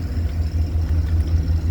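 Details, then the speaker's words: 2019 Ford F550 service truck, 111k miles, with Enpak welder/generator: generator just started up after beeping, deep steady low rumble with an even pulse, nothing knocking or missing; normal running. "let's start up let's see I hear it beeping okay so it's started up generator's"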